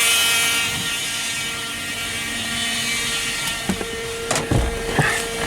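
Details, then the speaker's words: 2014 Ram ProMaster V6 van, almost 300,000 miles, no gears: transmission pump under the hood whines steadily with metallic ring and stray knocks, sounding starved like an empty power steering pump; codes for low line pressure and loss of pump; transmission pump whine. "We have no, you hear the pump is starving, almost like an empty power steering pump."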